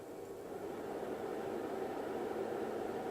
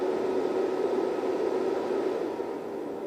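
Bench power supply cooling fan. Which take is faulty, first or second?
second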